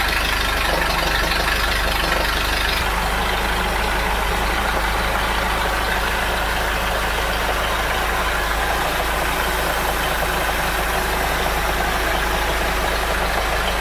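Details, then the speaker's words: Mercruiser 3.0 boat engine after replacing the noisy water recirculation pump, band-aid fix with aviation Permatex, running on hose: steady, even drone with no squeak or squeal; no leaks, no more noise, normal running. "all right as you can see no leaks no more noise and the engine is running great so far"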